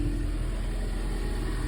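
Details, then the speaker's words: 2019 Ford Mustang EcoBoost, about 51,300 miles, after cleaning cylinder 3 spark plug and coil for a startup misfire, restarted after sitting a few hours: low, smooth, even idle with no stumbles; running cleanly, fixed. "Sounds great and healthy. No hesitation at all, and it's been sitting a few hours now, so it should be colder. I think that was probably the only issue."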